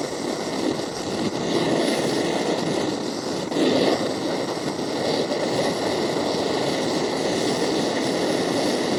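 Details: MSR Dragonfly liquid-fuel stove, owned a few years, flaring up during priming: loud rushing roar swelling sharply mid-clip, then settling to a steady hiss. First time this happened; owner unsure why, maybe too much fuel, thinks it needs a service.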